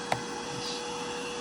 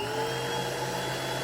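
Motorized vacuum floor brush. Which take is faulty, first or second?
first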